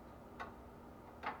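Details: Washing machine lid switch, newly replaced after the old one burned out and stopped spin and drain; two crisp separate clicks as the lid is pressed, switching cleanly and healthy.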